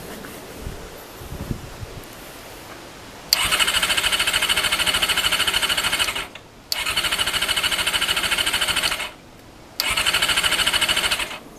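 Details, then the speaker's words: Honda CBR400RR NC23 with leaking temporary fuel pipe, tried on carb spray: three bursts of fast, even starter cranking that never catch; spark plug out shows no spark, so it cranks without starting. "there's no spark so i've got spark plug out and i've been um spinning that over and there's no spark"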